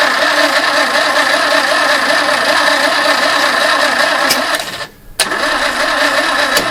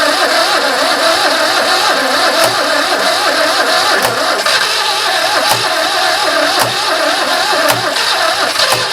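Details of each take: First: Barn-find 2CV flat-twin three-wheeler stored 25 years, choke pulled, what sounded like the fuel pump running and fuel smelled: starter spins engine evenly two to three turns a second, never fires; starter overheating and slowing. Long crank no start. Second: Barn-find 2CV flat-twin three-wheeler stored 25 years, last attempt: engine catches, settles into steady even idle with faint regular tick. Normal start and idle.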